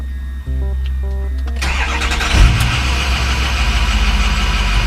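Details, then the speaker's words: 2006 Ford F250 6.0 Powerstroke diesel hot restart with IPR at 14.7; dash chimes, well under a second of cranking, then steady idle. Starts right up when hot; owner suspects high-pressure oil leak behind long cold-start crank: normal hot start. "Starts right up. So when the car is hot, it starts right up."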